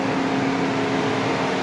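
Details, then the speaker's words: 2013 Mercedes-Benz S350 CDI BlueTEC W222: loud steady whoosh with constant hum, no rise or fall; engine cooling fan stuck at full speed whether car is on or off, randomly stopping and restarting; diagnosis via Xentry. "As you can hear, cooling fan spinning. It's spinning at full speed. No matter car on or off, it shuts randomly wake ups."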